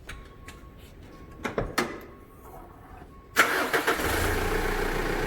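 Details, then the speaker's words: Mitsubishi Pajero 4x4 diesel after replacing and adapting all four faulty injectors, previously hard-starting with noise and exhaust smoke: clicks, then the starter catches instantly and settles into a steady even idle with no knock; runs well. "запускается с полоборота около стоит негатив поставили выиграв на повышенных оборотах кто-то работает отлично"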